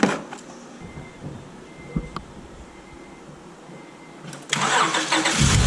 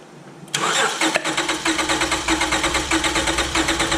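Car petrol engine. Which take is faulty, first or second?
first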